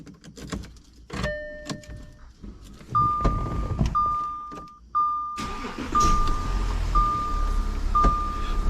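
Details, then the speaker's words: Audi Q7 after battery replacement (previously would not start, starter only clicking): keys rattle and door chime repeats about once a second, then the engine catches promptly and settles into an even, quiet run; no-start cause was the battery. "right so as you can hear the engine is running and now the engine starts so the engine starts right up after I turn it off so we're good the problem was the battery"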